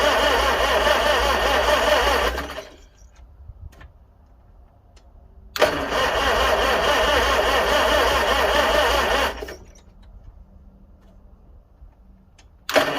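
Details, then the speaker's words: 1955 Farmall 300 row crop after sitting 14 years: two cranking bursts of about three seconds, even chug near 220 a minute, never catching; not a drop of fuel from the carburetor, owner plans fitting the other carburetor. "I'm going to check and see if we're getting any fuel yet not a drop"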